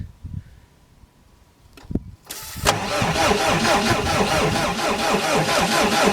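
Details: ASV PT-100 forestry track loader diesel, which died while mulching, air purged from fuel system, glow plugs used after a cool night; short crank, then catches and settles into a steady, even clatter with no stumble; normal start.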